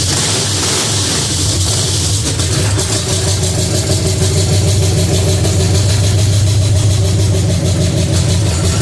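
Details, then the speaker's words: Pontiac 350 V8 in a 1950 Pontiac gasser with 6-speed, idling after the motor plugs were changed and idle screw adjusted: steady, fairly even lumpy low rumble, no obvious misfire; normal idle, runs better, coil wire still rigged. "Other than that, it seems like it runs better now we changed out the motor plugs."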